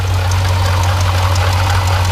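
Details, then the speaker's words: Jeep Grand Cherokee SRT 6.4L 392 HEMI at 39k miles, idle with constant low rattle and loose chatter, coolant spraying, pulley wobbling; failed water pump bearing. "now I don't know if you can hear that that rattling all right you guys hear that right right there yeah cool and spray coming right at it right here"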